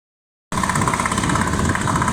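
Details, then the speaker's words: Outboard recovered after submersion (dinghy flipped): first start catches at once into a loud, fast, steady two-stroke buzz with no misfires or stumbling; running normally. "It's alive! It's quite loud, so I'm gonna stand here. So, now it's up and running."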